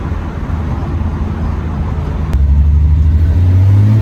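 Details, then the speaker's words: Test drive after rebuilding Solex Mikuni Type R carburetors (previously leaks and poor running): deep, even engine note building steadily under throttle, no stumbling, hesitation or throttle hang; normal acceleration. "I think we can call that a success. No stumbling, which is good. No throttle hang."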